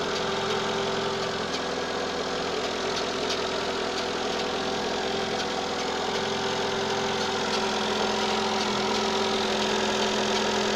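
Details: Citroën AX 1.0 petrol engine idling steadily with a light, slightly uneven rattle about three times a second from the right side of the engine bay.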